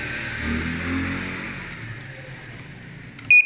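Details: Panasonic automatic washing machine after controller board repair (previously no power): low hum fades, then one short clean high beep on power-up; normal power-on beep.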